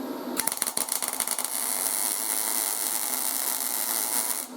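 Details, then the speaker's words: YesWelder 250 MIG Pro with hot start maxed at 10, welding inside a tube; several sharp bangs as the arc strikes, then a steady even sizzle, longer hot-start voltage boost than the default 2. "let me do that again you'll hear it for like the first few it's like bang bang bang bang bang and then it smooths out"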